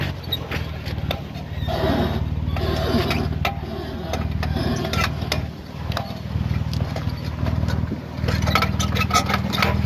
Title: Jeep JK 4WD clunk sound please help